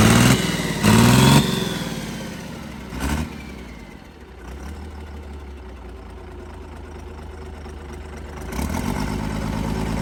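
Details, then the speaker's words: Hot Cummins diesel burnout truck idling low and lumpy with a stumble in its beat; one cylinder misfiring, temps roughly similar. "well I can tell you that cylinder is not doing what it's supposed to 100 they have a little Miss tour and I'm wondering if that's why"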